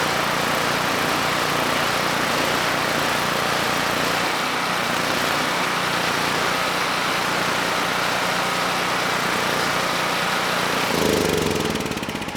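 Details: Generac GP5500 generator (low compression) back on its first carburetor with the vacuum leak and fuel leak fixed; started first pull, choke off after about 10 s, under a 1500 W load: steady drone, no misses or surging, holding speed smoothly.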